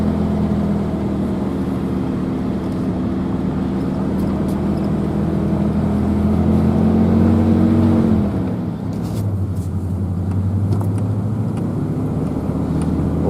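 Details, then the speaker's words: Truck driving on the road after repair, now back together with a bearing replaced; the weird noise heard since ownership, thought to be a failing bearing, is gone. Steady, even smooth low drone, no rhythmic hum or growl; no shock absorbers fitted yet. "don't hear that weird noise anymore. Ever since I've owned the truck, there was kind of a noise that, you know, it's a truck that was new to me, I figured was kind of normal. I think that bearing's been going out the whole time. But, sounds a lot better, actually."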